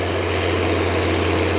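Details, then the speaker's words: Tractor diesel during corn planting, belt seen shredding (to be checked, not slapping yet): deep, steady, even drone with no knocks or misses; purring, running smoothly and healthy. "Listen to that thing purr."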